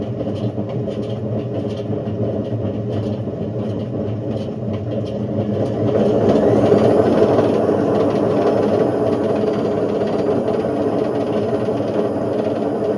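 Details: Indesit IWC71453 UKN 7 kg washing machine, found dumped, test spin with door ajar after the belt split: heavy rumbling roar swelling as spin builds, drum thrashing violently; badly worn drum bearings.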